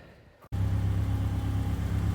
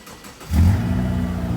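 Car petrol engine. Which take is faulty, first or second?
second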